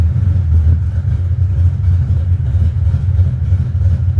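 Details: High-compression, big-cam engine with a manual transmission, just started, timing bouncing 32–35°, mixture leaning out as it idles: deep loping rumble with uneven lurching beats, no mechanical noise; a healthy big-cam idle.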